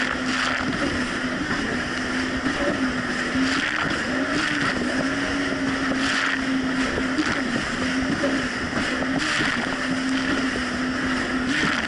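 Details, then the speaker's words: 2007 Yamaha VX Cruiser jet ski under way on Lake Michigan, previously surging: steady, even engine note with no surging or dropouts, water and wind around it; running normally now. "honestly the Jessie's actually running a whole lot better it's not doing the surging issue"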